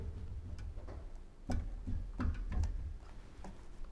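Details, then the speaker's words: Volvo XC90 front anti-roll bar, sway bar links disconnected on a lift and the bar rocked by hand: dull, uneven, bunched knocks with visible play. The worn anti-roll bar bushing knocks; the bushings are not sold separately, so the whole bar needs replacing. "Здесь этого звука нет, а здесь. Вот он, ребята, вот он нашелся."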